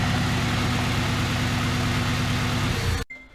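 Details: Honda Civic EP3 Type R at idle during coil-swap diagnosis: an uneven, stumbling pulse of roughly four beats a second before shutoff. One cylinder is misfiring; a blocked injector is suspected next.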